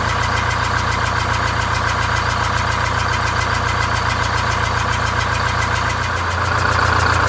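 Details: Greyhound Scenicruiser vintage bus with automatic transmission, diesel idle with a slightly uneven beat: it runs on 7 of 8 cylinders after the bad cylinder was bypassed, with the new exhaust refitted, the muffler welded and the fan off.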